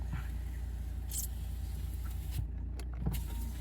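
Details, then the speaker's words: 2012 Vauxhall Astra 2.0 CDTi after the no-crank fuse box earth repair: window reinitialization, driver's window opened then closed, with a quiet low motor hum and a soft click at the stop through auto up and down. Normal power window operation. "Oh, we need to do sort of window reinitialization. It's just telling me to do that. Open driver's window, then close it. So, there we have the auto up, the auto down."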